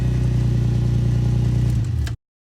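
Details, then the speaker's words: Right-hand-drive MKIV Toyota Supra after replacing starter relay, which previously needed a second crank attempt: starts first try, steady even low idle with no knocks or misfires before shutdown; failed starter relay was the cause. "alright foot clutch on position started right up on the first try so that is the starter relay in our case what the failure was"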